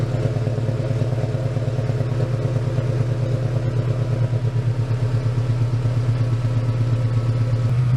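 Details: 1999 Toyota Tacoma just after installing a Walbro 190 LPH fuel pump and new gasket, first start: engine catches and settles into an even, steady idle with a regular low pulse, no knocks or misses; pump swap works fine.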